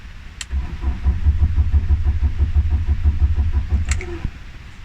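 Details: BMW 318i crank-no-start troubleshooting: steady starter churning at roughly three compressions a second for about three seconds; engine never fires before cranking stops.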